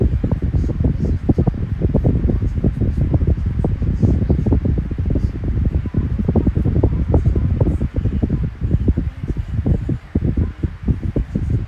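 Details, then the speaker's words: 12-inch Kool-Flo SFC2-300B high velocity 3-blade fan, newly running with bearing oil still breaking in: steady airy rush with light fluttering gusts, no rattle or grind; powerful yet quiet, normal operation. "Yep, I like it a lot. Very powerful and very quiet. It's not obnoxiously loud. It's just right."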